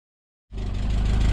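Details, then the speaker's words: Rebuilt Peugeot 205 GTi Mi16 engine on first dry start: settles into a steady idle with light, quick top-end ticking, likely hydraulic lifters still filling with oil; owner hopes it clears after a while. "Sappy, but apparently it'll clear up after a while. That's what I hope. Wow, really tappy that. That noise at all."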